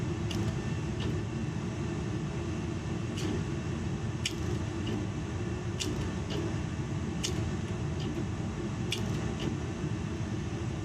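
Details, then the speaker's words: Hot water boiler that backfires and explodes on startup, unserviced with rusty, dusty burners; steady low burner roar with sharp irregular clicks about every second; owner suspects a noisy, faulty gas valve, unconfirmed. "a noisy gas valve, it sounds like. I'm wondering if my gas valve is no good."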